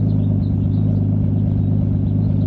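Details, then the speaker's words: Nissan 240SX with RB25 swap after a coil pack install, on a test drive, idling: steady low drumming with a recurring stumble like one cylinder dropping out; new misfire seemingly only at idle, owner suspects a sticky injector or cheap coil packs. "ng interesting going we go idle down yeah yeah seems like it's got a miss interesting did not have that before"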